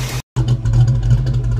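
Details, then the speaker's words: 1982 Ford Mustang GT after repairing driver-side exhaust header leak (90s short-tube headers, H-pipe), heard from behind the car at idle and light throttle: steady low rumble, no ticking; exhaust sounds sealed and healthy. "all right from back here the car sounds normal no more loud ticking give it a little gas Chris all right yep no more loud knocking ticking from that huge exhaust leap sounds pretty normal from the outside at least"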